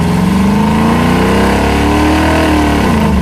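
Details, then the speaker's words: Rear-engine mini truck V8 after lowering the Demon carb's rear float bowl level to stop fuel gushing from the boosters on braking: revs up and settles smoothly without stumbling or dying; stalling fixed. "Fixed. Sweet, nice work. 2 simple tools. Well, I fixed the dying problem."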